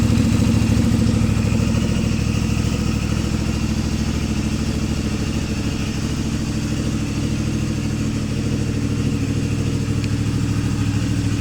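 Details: CFMoto 450 MT at 4,767 km after repairing a failed cam chain tensioner; steady even idle with smooth low exhaust thump and no top-end knock or rattle, healthy.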